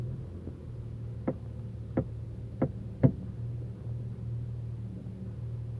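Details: Audi A4 B7 3.0 TDI quattro, warmed up, reversing slowly with the steering turned right: four sharp separate front-end clunks over a low hum; clunk is louder when hotter and also occurs on hard braking; cause unknown.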